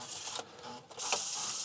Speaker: look it's spinning properly so that's a good sign and we'll just let this sort of go through a cleaning cycle here